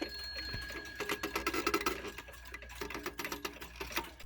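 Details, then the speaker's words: Circa-1910 Sessions beehive mantel clock ticks steadily with chirpy, rubbing squeaks in bursts from the motion works, caused by a minute hand fitted too tight (later fixed). "You're gonna hear that the motion works really squeaky. Don't worry, I fixed that after I recorded all these clips. The minute hand was just a bit too tight."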